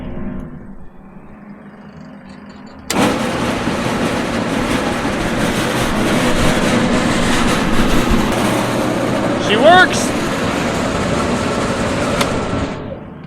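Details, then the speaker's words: Farm grain-bin fan test run right after rewiring its connections: silence, then a sudden start into a steady, full rushing roar holding even without surging or grinding; fan running properly, has power. "Other than bringing back a couple P clamps to kind of hold it down here and here, we got power and she's ready to go."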